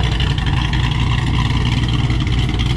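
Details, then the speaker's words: 2007 Mustang GT500 supercharged V8, after rear 8.8 axle bearing replacement: deep, even exhaust burble with steady supercharger hiss, no knocks or misses, no overheating; normal running. "she sounds awesome freaking love this thing"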